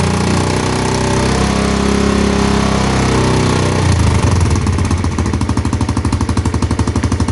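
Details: Single-cylinder motorcycle in neutral after kick-start, testing charging coil (spul): steady idle picking up on throttle blips then even quick firing; charging voltage rises with revs, stable about 12 V; healthy running.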